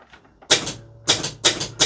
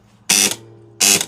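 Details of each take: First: Gottlieb pinball 10-point score reel in test mode after replacing a badly worn coil stop: four crisp even clacks about a third of a second apart, no rattle; normal operation. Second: Gottlieb pinball 10-point score reel operated manually by its relay: harsh, rattling clatter on each step, far noisier than a clean snap; likely an indented worn coil stop, possibly an over-heavy spring.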